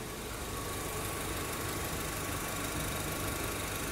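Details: Honda Civic with starting trouble after driving, awaiting Denso fuel pump refill replacement: even, steady warm idle with constant fan rush as electric cooling fan(s) switch on, no misses or knocks; idling normally.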